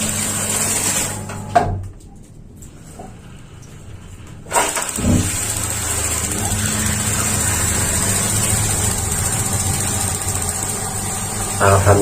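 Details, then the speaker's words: Paloma gas water heater on a small pump (max 3 bar), tested after a diaphragm concern: quiet pause of over 10 seconds, a soft whoomp as it lights, then a steady even roar with no sputter; burner firing normally. "Sepertinya berhasil. Kita harus menunggu, ya, lebih dari 10 detik."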